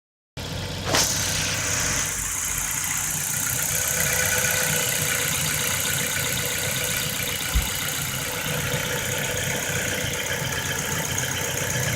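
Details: Ford Focus 1.6 automatic, 2008, 110,000 km: light, fairly quick metallic tapping over a steady idle with a hissy top end; internal engine knock, suspected worn piston pins needing overhaul (piston and pin replacement), not confirmed.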